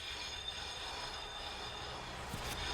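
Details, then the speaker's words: Car that passed the Irish NCT, wheel spun by hand: steady rough hissing scrape with no clean spin; brake disc badly rusted and completely worn out. "really rough this break is just it's just rusty it's just completely gone but it's still passed"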